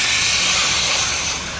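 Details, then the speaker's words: BTU analyzer sample conditioning system enclosure being purged with nitrogen through a plug and tube: steady even high hiss, no pulsing or sputter; normal purge flow. "I brought uh I brought in a plug, which we're going to purge this box with nitrogen. This tube got to be purged. We are purging."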